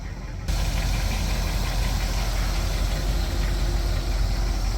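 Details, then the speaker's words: Bagged 1959 Cadillac Coupe Deville V8 just arrived, carburetor needs rebuilding: big V8 idle with a deep, even rumble and a faint light tapping on top, a slight knock, cause not yet known. "As you can tell, she's on bags. Got a little bit of a knock. Hopefully, with my little special treatment, we'll take care of that."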